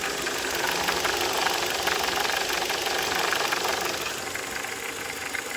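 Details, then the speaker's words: VW/Skoda/Audi 1.8 or 2.0 TSI idling on thick 5W40 oil: sharp ticking about three times a second, felt at the oil cap, not the cam cover. Cause: a failed oil pressure regulation valve stuck in high-pressure mode; does not occur with 5W30. "So what's happening is the 540 is a thicker viscosity and the my oil pressure regulation valve is not working and the default state of malfunction of that valve is high pressure mode."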